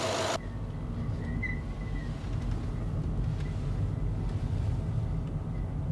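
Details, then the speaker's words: Range Rover Sport whose air suspension had never worked, after EGR valve and oil cooler work; raise button now triggers a steady low compressor hum as the car lifts; air suspension compressor running. "I press the raise button on the air suspension nothing would happen and I can hear the air compressor doing stuff now"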